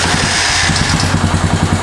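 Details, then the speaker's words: Neglected Honda Foreman 450S ATV that sat for years, after carb cleaning, tank drained and half a gallon of fresh fuel: steady single-cylinder thump with light even clatter, no stumbling; runs clean, normal idle. "hey that sounds so much better it's almost like if you use the original car"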